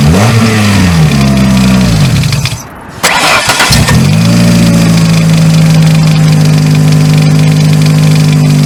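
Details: 2000 Ford Focus that would try to crank but not start because of a seized AC pulley bearing, after the bearing was replaced and the pulley refitted: fires, revs briefly, dips, catches again and settles into a smooth, steady idle with no drag. Healthy start.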